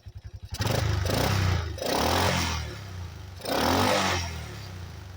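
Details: 1985 Yamaha Moto 4 ATV after old carburetor replaced with a new one; single cylinder starts and picks up cleanly through a few throttle blips, returning to a steady idle without hesitation: normal running, apparently fixed.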